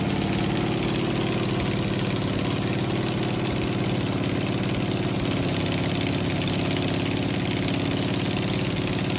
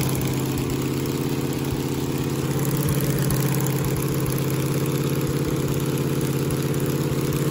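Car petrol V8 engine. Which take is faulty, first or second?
first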